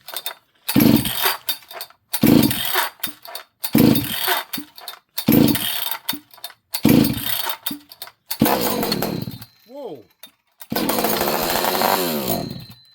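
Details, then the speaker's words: Rebuilt chainsaw on a cold day with a freshly set carburetor: several short bursts of firing that catch then cut out, then a brief rough run. It starts but won't keep running; owner suspects a massive air leak from gluing it together. "That's all it does, friends. It uh it fires and then it shuts off."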